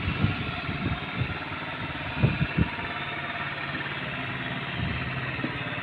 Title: Long time no start; Aprilia Leonardo 125